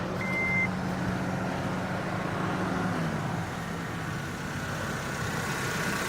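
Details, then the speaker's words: 2006 Honda Civic idling just after first start following engine reassembly and fresh oil and antifreeze fill, being watched for leaks; quiet, steady idle hum with no knocks or misfires, running healthy. "Nice. Now we're gonna let it idle here for a few minutes. Gonna see if it's got any leaks."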